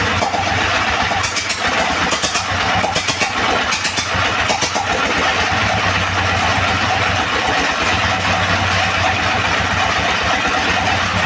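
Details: Second-hand S1115 single-cylinder diesel that would not start (found partly opened by the owner), serviced until it ran; it fires up and settles into a steady chug with no misses. Running properly, and the oil indicator rises well.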